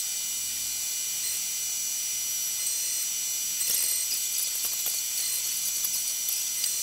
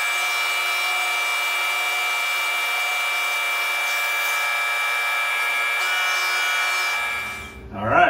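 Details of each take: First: Tormach 1100MX CNC mill contouring a thin 6061 aluminum Brembo brake caliper bracket for a 97 Silverado: an even high-pitched cutter hiss with no chatter. The lighter depth of cut runs smoothly. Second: Tormach 1100MX CNC mill boring holes in a 6061 aluminum Brembo caliper bracket: a steady high ringing tone through the cut for about seven seconds, then stopping; slight boring chatter, barely visible in the hole.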